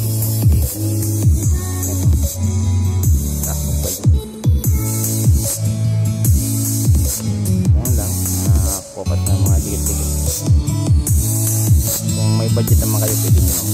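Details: JBL Xtreme speaker after cleaning, previously distorted from a cracked speaker cone: bass-heavy music plays loud and clean with deep low notes and no buzzing or rattle; sounds healthy.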